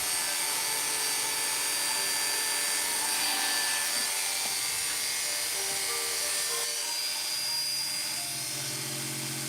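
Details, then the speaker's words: Hair clipper after sharpening and tightening its loose blade socket with pliers: smooth, steady high buzz with no rattle or chatter, blades seating and cutting well: normal running. "That cuts. That one's fine. That one's ready to go. Takes a little bit for the two pieces to seat together. There we go. Cutting great."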